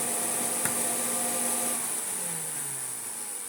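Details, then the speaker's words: Hoover Turbopower 2 upright vacuum switched on for testing: steady high motor whine with a low hum sliding down in pitch; brush roll turns but the motor runs too slow. Unusual motor fault, motor later replaced entirely. "Doesn't sound correct, but it doesn't sound bad either. That's curious. Yeah, the brush roll is rotating, but that's not right."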